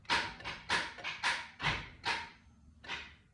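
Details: 1992 Toyota Land Cruiser: about six sharp starter clacks at uneven intervals with no cranking, even on a new starter. The old starter was tested, wires were checked and cleaned, and the battery was charged. The owner suspects a bad terminal or the ignition signal wire.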